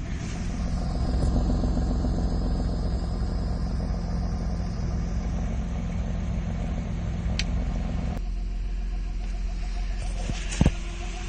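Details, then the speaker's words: Nissan Skyline, after exhaust manifold gasket work (a snapped head stud was suspected), exhaust valve closed so smoke comes from only one pipe: a deep, steady, even idle with no ticks or misses; normal idle. "Currently, as you can see, there's only one trail of smoke there coming out of one of the exhausts, and this is a bit what she sounds like."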